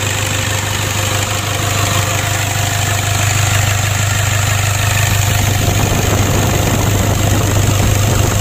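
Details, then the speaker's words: Toyota Innova diesel with leaking turbo, after repair for hard starting: starts easily, including from cold; steady low diesel rumble at even idle, smooth regular beat, no misses or knocks. Normal idle. "kita matikan kita coba lagi ya alhamdulillah untuk hidupnya sudah mudah teman-teman ya tadi juga di saat mesin dingin kita starter tidak sulit"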